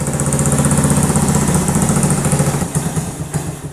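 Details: 1985 Honda ATC110 three-wheeler, long abandoned, just started and choke now off; small single idles quick and slightly uneven, fading near the end; carburetor suspected gummed up and needing cleaning.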